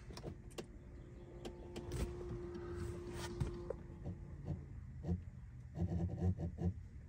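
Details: 2007 Mitsubishi Galant Ralliart 3.8 L (6G75 MIVEC), key on, heat selected: irregular clicking and whirring bursts over a quiet cabin; faulty heater blend door (hot/cold) actuator motor.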